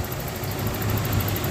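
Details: 1994 Toyota pickup V6, sat ~5 years after dying; burnt-out distributor found, spark restored, now runs: smooth, even low rumble at idle with no misses or knocks, engine running properly after repair.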